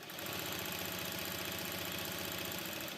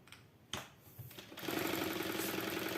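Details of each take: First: Jack heavy-fabric sewing machine with enlarged hook, stitch length reduced from 7 mm: fast, even mechanical chatter at steady speed, no reverse-lever knock or rattle; normal running after stitch length matched to needle plate slots. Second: Jack heavy-fabric sewing machine with enlarged shuttle: at the maximum 7 mm stitch it runs fast, 3–4 stitches a second, with a light rattling tick as the reverse lever knocks; at 6–6.5 mm it runs quietly, a stitch-length/needle-plate mismatch.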